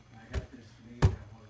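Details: Fender Deluxe Reverb reissue amp: two sharp bassy pops breaking a quiet hum, intermittent crackle; owner swapped all 12AX7 preamp tubes without change, suspects the circuit; volume has no effect, normal and reverb channels dead, vibrato channel partly working.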